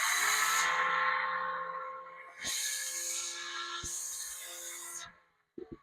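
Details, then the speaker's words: Battery-powered string trimmer, the second, working machine on its own battery: high electric whine spins up quickly, holds steady, then coasts down between trigger pulls; the motor runs properly. "Esta trabaja muy bien."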